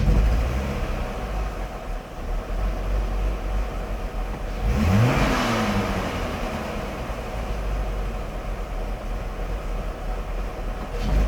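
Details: 1999 BMW 540i: uneven, lumpy idle with an unsteady beat, then a quick throttle blip that rises and settles back; rough idle, filmed for diagnosis.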